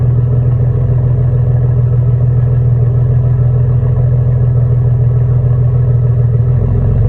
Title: Exhaust leak with turn down pipes on 2002 jaguar S type ￼